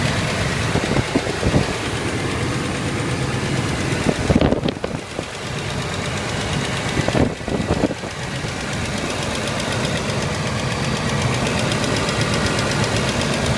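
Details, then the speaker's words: 1992 Buick Roadmaster wagon, 5.7 V8, 195,000 miles, cold start after sitting one to two weeks: rough shaky idle with fast even ticking and chugging dips, worse under load; exhaust leak or lifters suspected despite a replaced exhaust manifold gasket; oil pressure good. "anyway when you're driving the car you know and of course it has a load on the engine the ticking the chugging sound is just so apparent and it's awful at driving"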